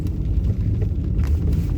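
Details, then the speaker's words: Hyundai Elantra HD on a badly broken abandoned road, test drive after replacing stabilizer bushings and fitting repaired shock absorbers; only low even road rumble, no clunks or knocks, suspension tight and quiet. "она сильно плохая, но подвеска хорошо справляется. Работают и пружины, и амортизаторы."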